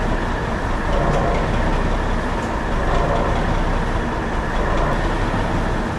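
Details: 1984 Mack RD688S, EM6-350 engine after #6 piston and cylinder liner replacement, injector lines just bled: steady even diesel clatter with deep low rumble, no knocks or misses; normal running.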